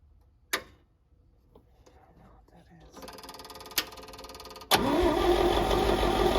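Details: Champ forklift of unknown year, sat for years: starter churns steadily at about four turns a second with fuel now at the carburetor, but the engine never catches; old fuel has gummed the carburetor, and a weak battery is being charged.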